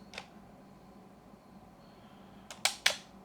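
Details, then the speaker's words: Yashica Electro 35 GSN rangefinder (1973 electronics) during restoration, tilted away from light so the auto-exposure gives a slow shutter: crisp open click, then a close click about a fifth of a second later; a clean, healthy slow exposure. "And then if I tilt it so there is no as much light coming through, we get the slow reaction."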